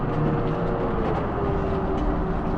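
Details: Silver Eagle bus diesel running during power-steering bleeding after a hose repair, as the wheel is worked back and forth. A steady low drone with an even beat and no knocks; the engine sounds good, running normally.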